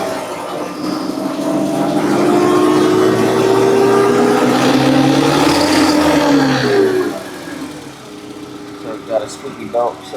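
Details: Forklift engine running with four new ignition coils and new NGK spark plugs; a thin squeal rides over the engine, rising and falling with revs. Owner suspects a loose belt or a pulley; not confirmed.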